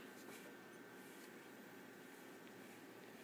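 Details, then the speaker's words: Power Mac G5 after fitting the air deflector, official Apple FX-5200 graphics card and 3GB RAM: soft even airy hiss, no whine, ticking or surging; the fans no longer run as fast and the machine is a lot quieter. "the machine is a lot quieter now the fans don't run this fast"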